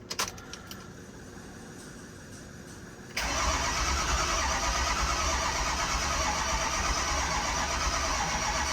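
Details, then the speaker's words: Auction 6.0 Powerstroke diesel that sat, cranked after the system was pressure-tested and must refill: quiet ticking, then a few seconds of sluggish, labored cranking that never catches. The batteries are low (one is smashed) and drag the starter. "these batteries aren't very hot for pumping that pump like it ought to be running so uh it's been sitting here for a minute let's try it again"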